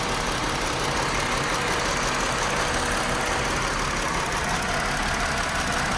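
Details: 2018 Chrysler Pacifica, code P0300 multiple cylinder misfire: after a dead battery was replaced, normal idle for about 25 seconds then uneven, lumpy rough idle.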